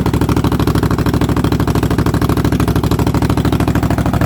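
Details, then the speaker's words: Cub Cadet after cold start on carburetor-bowl fuel, electric fuel pump connected while running, reasonably fresh gas, oil pressure confirmed; steady, even single-cylinder beat of about three firings a second, no misses or stumbles; normal running. "so yes it had oil pressure uh and it actually ran pretty good"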